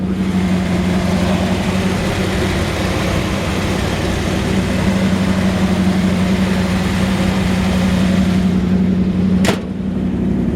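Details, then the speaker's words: 1949 Ford F-1 V8 (350 turbo transmission) just started, real cold, no gas touched, at about 180 and still warming: deep steady burble at fast cold idle, no knocks or misfires; healthy engine. "And I didn't even touch the gas on that, but she's real cold. She likes to have a little gas, and she's at about 180, still warming up a little bit."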